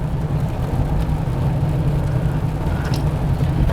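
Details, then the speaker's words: 2004 Ford Explorer Eddie Bauer after left rear wheel bearing replacement, driving at speed: steady low road rumble with no growl or hum rising with speed; bearing now quiet and healthy. "the only thing I hear right now is that brake rotor nothing like it was before before take it out on the road listen to it all right we're back up the speed I don't hear the noise"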